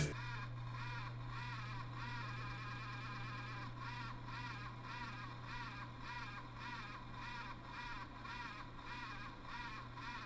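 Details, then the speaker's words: ASRock X570 Taichi motherboard: a steady low hum with a thin, wavering whine pulsing about twice a second, a whining grinding noise; owner suspects a chipset fan, reportedly a common fault. "so yeah i think that's one of the chipset fans that's on it apparently after looking on the internet this is kind of common"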